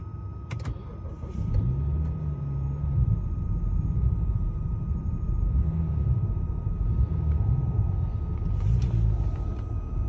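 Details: 2011 BMW 335i E90 N55 cold start: low uneven wavering rough idle, stalls when very cold, fine when warm; check-engine light on, mechanic blames failing high pressure fuel pump, owner unsure.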